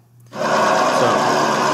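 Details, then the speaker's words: Nissan SR20DET in an S14 after rod bearing replacement, fresh start at idle: busy fast light ticking from the top end; drained lifters needing bleeding. "So I changed it. I changed the bearings, and this is with the noisy lifters. And I know that because I have a before and after of this also. This is the lifter tick."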